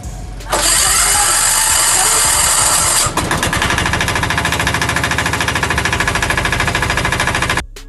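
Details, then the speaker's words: Bajaj auto-rickshaw diesel engine, whose sound had changed, after head gasket (head packing) replacement: brief starter burst, then a settled diesel clatter with an even beat near three per second and no knocks; engine sounds better than before and healthy. "तो जैसा की आप देख का रहे हो की गाड़ी के साउंड किस तरीके से सब चेंज हो गया है यानी की पहले से अच्छा हो गया है और ऐसे ही रहनी चाहिए इंजन के साउंड"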